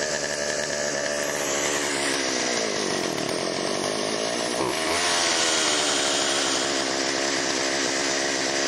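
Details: Chainsaw after Texas ice storm, refueled, priming squirt into cylinder via spark plug hole: crisp two-stroke buzz revs cleanly and holds steady high note; runs well, could be fine-tuned but ready to go.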